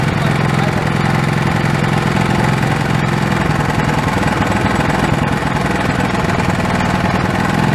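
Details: Old Honda pull-start engine, sat for years and earlier only running on starting fluid, now reassembled with the throttle hooked back up: small single-cylinder fires steadily with a regular, even putter and holds its speed; running properly.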